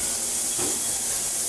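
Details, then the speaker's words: Ultrasonic cleaner tank with very hot water, jewelry on a tray set in at a fire restoration center: steady high hiss with brief splashy swirl, no buzzing or rattling; running normally. "We'll set this bad boy right inside of here. And something like this will probably let it go for about 5 or 10 minutes."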